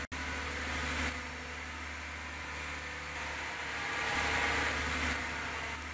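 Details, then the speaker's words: 2013 Lexus RX450h hybrid after the 12-volt battery issue behind the loud rapid clicking no-start was found: one sharp click, then a steady low hum and fan whir without stumbling; vehicle powers up and runs normally. "Hopefully this does it. Looking good. Maybe not. Aha! Success!"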